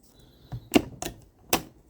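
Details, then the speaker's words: 1997 Honda CR80 gearbox after an engine split to cure hard 1st/2nd selection, cases reassembled and main shaft spun by hand: three crisp, separate clicks shifting down into first, then up through second and third, no grinding; easy, normal gear changes. "so down into first gear there a nice gear change up into second third and you can hear those clicks are all nice easy"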